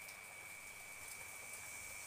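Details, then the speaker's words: Old FM tuner module on 12 V supply, before the antenna is connected to pin 1: faint steady hiss with thin constant high whistle and no station tuned in; normal tuner noise. "iya itu ada suaranya ada suara desis jadi tanpa blok itu sudah ada suara desis"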